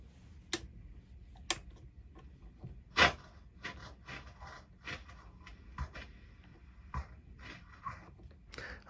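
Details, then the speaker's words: Peavey Deuce guitar tube amplifier in for repair: irregular crackles and scratchy pops over faint hiss as the knobs turn; noisy control potentiometers needing cleaning. "cleaning the controls and blah blah blah all of that there's noisy controls"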